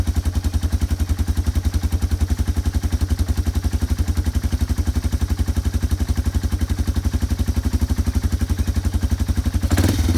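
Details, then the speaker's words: Yamaha ATV single-cylinder engine just after carburetor cleaning and reassembly, started without choke: quick, even thumping with a steady beat and no stumbling. Clean idle, though fuel later came out the overflow and needed float adjustment. "Pull the choke. Starts right up. That's without the choke."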